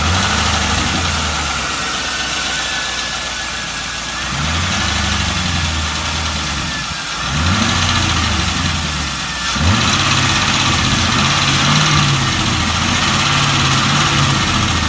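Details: 1998 Camaro Z28 V8, stock but Borla muffler: lumpy, odd burble with fast light ticking; known header exhaust leak, owner suspects lifter/rocker tick; cylinder 1 misfire code despite new plugs, wires and swapped coils.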